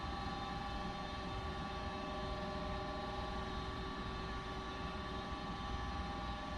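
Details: Goodman 95% AFUE gas furnace, first startup of heating season after only brief earlier runs; steady even motor hum with constant whine, no rattle or wobble, inducer purging before burner ignites; normal inducer pre-purge.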